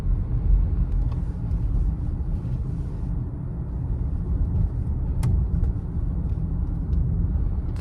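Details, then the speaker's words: 2015 Honda CR-V, 112,000 miles, test drive after replacing front brake pads, rotors, sway bar end links and bushings: steady low road rumble, no clunks or rattles; fixed. "fixed break yep it's good solid sound no more rattles"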